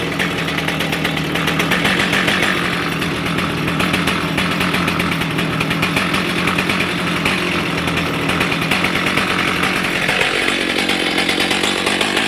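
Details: Stihl MS310 chainsaw, warm following ignition coil/gap repair (previously stalled when hot); crisp, fast, even two-stroke firing with no misses, dropping smoothly in pitch near the end; normal running.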